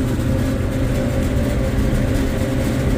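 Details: Mid-temperature refrigeration unit cooler fans running after a backward-installed liquid line solenoid valve was corrected: constant low hum and airy fan rush with no rattles, squeals or cycling; normal running.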